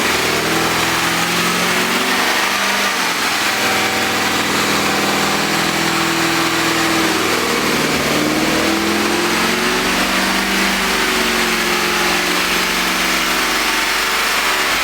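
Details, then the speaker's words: Freshly rebuilt BMW S62 V8 at first start-up: settles from a rev into a fast, even idle with light top-end ticking; lifter noise after the rebuild. "Sounds like an S62 with some lifter tank, huh? You successfully rebuilt, so far, an S62. Congratulations! Hell yeah! Some lifter noise."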